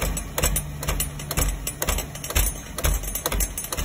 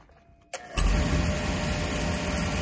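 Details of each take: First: Beckett oil burner on a furnace, just after an oil delivery, with a 1.0 gph 80° B nozzle. Burner roar cuts in and out as the relay in the primary control clicks: short cycling diagnosed as a faulty primary control. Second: Beckett oil burner after replacing the primary control, which had been clicking the flame on and off: lights off with a soft thump, then a steady even roar with no cycling.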